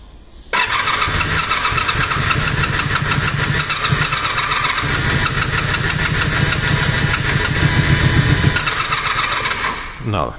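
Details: Honda VFR400R NC30 motorcycle, cranked with and without choke (starter): long uneven churning crank that never catches; crank no start, suspected not firing on any cylinder, spark plugs looked bad. Cause not confirmed.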